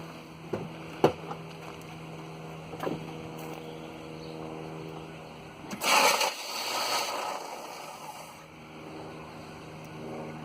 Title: A bad starter sounds like this 1996 Pontiac Grand Am